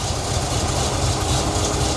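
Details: 1977 C3 Corvette, 383 stroker small block, cold start: a deep, even V8 idle with a smooth rumble and no knocks or ticks, train passing behind. Factory gauge reads 20 psi but the mechanical gauge reads 60; healthy engine, faulty sending unit.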